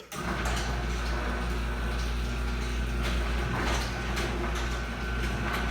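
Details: Chamberlain garage door opener after resoldering a cold solder joint on the relay board, which had made the door stop at various spots: steady low motor hum, even drive noise, no relay clicking; runs smooth and healthy.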